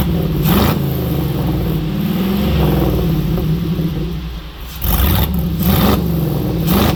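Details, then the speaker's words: Jeep V8 with multi-port fuel injection, new exhaust, after fixing a miss by correcting the tune's injection type: deep even burble rising cleanly on blips, all eight cylinders firing, no misses. "All 8 cylinders are kicking. Nice and smooth, sounds good. It sounds really nice. Idling perfect."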